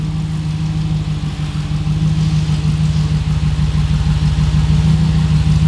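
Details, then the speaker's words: Hemi-swapped Jeep after power steering pump replacement and a homemade power steering line, no leaks, steering turned under pressure at idle; steady, even idle with smooth low pulse, no pump whine or groan; pump healthy. "move your steering and let's make sure that it can take the pressure yep so far everything looks fantastic"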